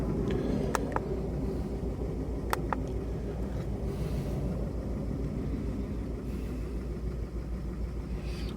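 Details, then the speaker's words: Mk4 VW Golf after fault codes were reset. The idle is lumpy and uneven with the exhaust beat stumbling irregularly; the misfire persists, the engine light later returns with code 16687, and an ignition coil is suspected. "start her up still misfying definitely engine light's not come up I should definitely miss firing"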